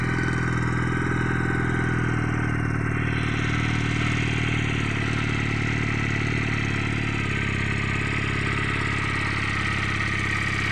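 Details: Junak M11 Cafe motorcycle just started: steady, even single-cylinder idle at about 3–4 beats per second, no knocks or misses; engine running healthy.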